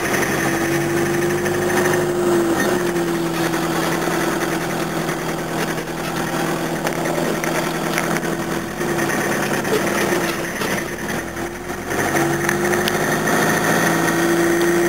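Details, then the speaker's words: 1981 Toyota diesel at idle: hard, regular clatter of about four knocks a second. Something is chronically wrong. "yeah there something up with this it's makes that van engine which is the same one that ran out of oil look like it's new and sound like it's new like this thing chronic something chronically wrong with it"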